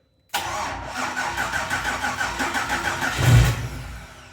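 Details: BMW E34 with LS3 V8 swap, first start attempt during rebuild three years after an accident: fast, even cranking with a brief surge near the end that fades; engine spins but does not catch.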